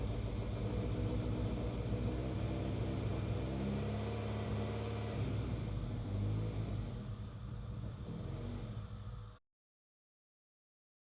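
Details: Honda CR-V with misfires on all 4 cylinders, after the distributor firing order was corrected: a lumpy, uneven engine beat that fades and cuts out. Rough running; it runs rich, and the owner suspects the fuel pressure regulator.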